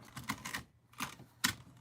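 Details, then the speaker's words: Traxxas T-Maxx nitro RC truck transmission during teardown, gears rolled by hand: short bursts of gritty, crunchy clicks instead of smooth turning; rough gearbox, cause not yet found. "It's a crunchy bastard."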